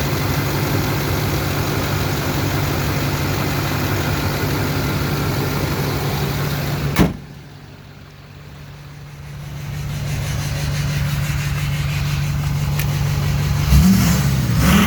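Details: Duramax LMM diesel V8 idling then briefly revved: slightly uneven, chugging beat; suspected misfire on cylinder 7 with excessive crankcase blowby, not confirmed.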